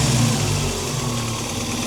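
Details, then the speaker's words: Toyota 22RE engine after LCE billet big bore throttle body and new TPS install: smooth steady idle settling after a brief rev, no misses or knocks, a touch high; owner thinks no coolant keeps it in warm-up idle. "It's idling a little high because I think it's because there's no coolant in it, so it's looking to warm it up a little bit so it kicks down, or it slows the idle down a little bit."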